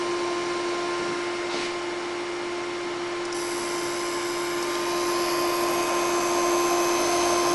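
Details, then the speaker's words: Laser projector after parts swap, horizontal scanner plugged into the vertical scanner channel: steady, even fixed-pitch whirr with no ticks, the drive board driving the scanner normally; owner now suspects the other scanners are bad. "and everything seems to be working just fine and the scanner is spinning so the drive board is driving the scanner"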